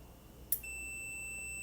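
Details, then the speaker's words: Relay from an overheating 2013 Honda CR-V AWD, bench-tested with the control side energized: a soft click as it pulls in, then a steady continuity meter tone across pins 30/87, so the relay is good. "once you go ahead and plug it in here I don't know if you guys could hear that that relay is clicking"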